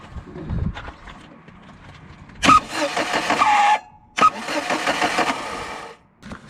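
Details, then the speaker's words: Starter whistle while cranking on a VAZ 2111 (Lada): two cranking attempts with a thin, high whistle over the starter's rasp, likely a dry starter bushing. "так вот свистит стартер хотя заведу согласитесь неприятно да когда он свистит"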